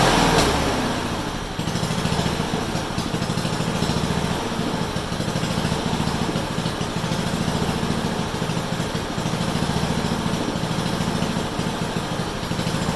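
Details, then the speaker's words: Honda HRU196 mower after carburetor clean and air cleaner service to fix a long-standing fuel restriction, no-start and rough running: small single-cylinder engine holds a fast, even beat at high speed with no surging or stumbling. Runs clean and strong. "you know that sounded really nice better than has for a long time and it ran up high it actually ran harder than what I thought"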